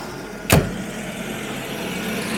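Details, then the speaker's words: Carbureted Jaguar V12, hot start after carburettor work that cured poor idle and acceleration, passed emissions test: single click then low, even, very smooth idle with no misses; normal idle. "and is as smooth as can be if I had a coin we could balance it on the engine returns to a nice smooth idle"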